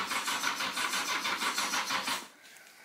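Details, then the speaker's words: 1982 Yamaha Seca 750 barn find with cleaned carbs, airbox off, starter fluid used; spark, fuel and air present, timing suspected: quick cranking about seven pulses a second for two seconds, no sustained firing; turns over but won't start. "try this a bunch of times it's kind of the same thing roll roll roll crack once or twice maybe I'll get two or three seconds out of her and that's about it"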